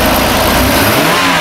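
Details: 2005 Chevy Equinox 3.4L, running after a damaged wire to the engine main relay was repaired; strong, smooth rev with an even, deep exhaust note and no stumble or miss. Normal, healthy engine.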